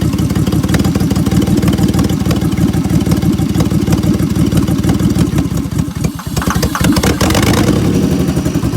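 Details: 2003 Honda 3.5L V6 with a bank 1 misfire and codes P0301, P0302, P0303 and P1399: an uneven, loping idle pulse of about three beats a second with occasional stumbles; cause unconfirmed.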